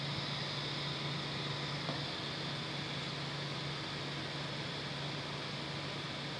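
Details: Creality CR6 SE 3D printer after swapping stock power supply and motherboard fans for quiet Noctua fans, mic on the print bed: soft steady fan hiss with faint low hum, no ticking or rattle; noise fell from about 53 to 49 dB.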